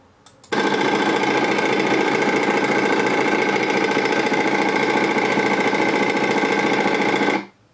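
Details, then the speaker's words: Crankshaft pulley (harmonic balancer) with its rubber damper between the two metal halves worn out: constant harsh metallic buzzing rattle at fast idle, halves rubbing; pulley can break at any time and damage the engine, so stop the engine. "Ce bruit est produit par la poulie de vilebrequin, ici la poulie est déjà démontée, c'est la poulie, vous voyez,"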